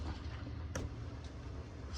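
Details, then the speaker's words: Van bed lift after rubbing wax onto the lift straps: low steady motor hum and one soft click, no squeak, super quiet going up and down. "oh my goodness why did I wait so long to do this oh that's beautiful super super quiet going"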